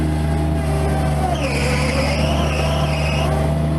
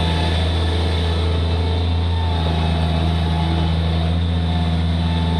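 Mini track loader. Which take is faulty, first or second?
first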